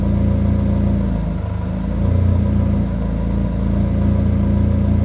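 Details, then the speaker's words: 1997 Honda Accord revved after warm-up, following replacement of a burnt, blown-out exhaust flange and torn gasket to fix an exhaust leak; smooth, steady drone rising and easing with throttle, no knocks or rattles; normal revving. "i'll let it warm up and then i'll give you guys a little rev so you guys can hear how it sounds uh"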